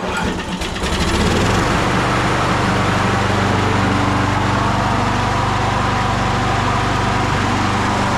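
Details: 1999 Craftsman push mower (mulcher), Briggs & Stratton 6.0 hp Quantum, primer start, 25 years old and barely used, first start in over 20 years: fast, steady single-cylinder buzz with no hunting or surging and slight smoke while warming; running normally.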